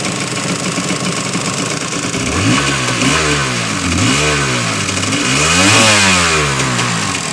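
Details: 750 SX two-stroke engine blipped several times over a constant raspy hiss, indicating an exhaust leak.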